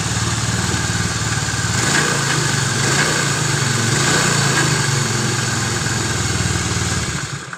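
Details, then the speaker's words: Honda Vario 110 scooter after rewinding the stator coil with 0.9 mm copper wire: fires readily and settles into an even, steady putter with no misses before switching off; normal start and idle. "Nah ya, ini untuk perakitan sepulnya ini dari awal sampai selesai, dari kita gulung sampai pemasangan sampai dihidupkan, oke, nggak ada masalah."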